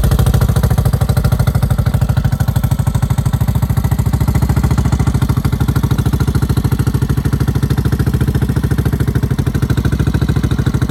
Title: 1986 Yamaha SRX600 Making Noise